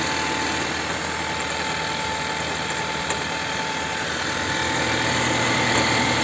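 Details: Chevrolet Volt 2nd generation with a clean air filter and new spark plugs: rough, uneven idle with a steady knock about four times a second; engine knocking and misfiring, cause unknown.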